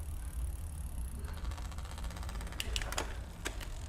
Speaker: If you can hear, the chain's rubbing on the front derailleur a little bit.